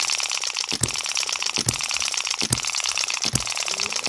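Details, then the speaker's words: Microcosm M96 2cc model hit-and-miss engine after moving latch edge and tightening spring; sharp firing pop roughly every 0.8 s with light ticking between, good long miss cycle, running nicely. "That is really nice. I don't think I need to mess with the um exhaust valve spring ... or the compression which are two other things that people suggested.... it's a pretty good long miss cycle there..."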